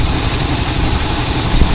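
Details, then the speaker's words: El Camino 350 V8 with 500 CFM Demon 2-barrel carb: deep, smooth rumble with an even beat and no misses or knocks, warmed up; normal idle. "Just perfect for this 350, and it runs nice. It runs nice."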